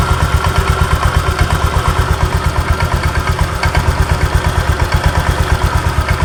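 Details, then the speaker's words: Honda Vario 125 scooter at idle: an even, rapid tak-tak knock rides over the idle the whole time and disappears when revved; worn CVT rollers and a loose roller-housing bushing in the front pulley. "jadi di sini ketika stasioner ketika langsam di sini bunyi tuh tak tak tak jelas kedengaran teman-teman ya"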